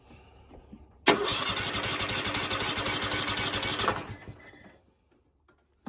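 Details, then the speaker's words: Husqvarna TS 248XD riding mower twin that dies or bogs when PTO engaged: starts into loud uneven idle, shuts off after three seconds; pulling one plug changes nothing, the other kills it, so it is firing on one cylinder only. "so that tells me it's only firing on this cylinder so out of the two cylinders it's only running on one"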